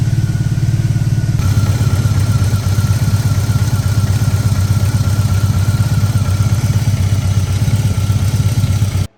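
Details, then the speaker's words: BMW R18 Bagger running just after a DIY engine oil and filter change: steady low, slightly uneven thrum with a faint whine and no clear misfire gaps. Owner says these start rough after oil drain, cause unknown. "I don't know why these things start up really rough after the oil's been drained, so I'm just gonna try to lean it as much as my strength allows me towards the right side to just let some oil go ahead and go back in that way."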